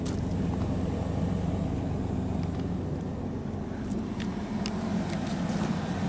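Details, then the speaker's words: 1996 Chevrolet Blazer running after a bad battery connection was found, with the alternator charging: a steady, even, low idle with no puffing or ticking at the tailpipe. The engine runs smooth and quiet with no exhaust leak. "Yeah, this thing's running good. It's quiet. Doesn't sound like there's any, holes in the exhaust."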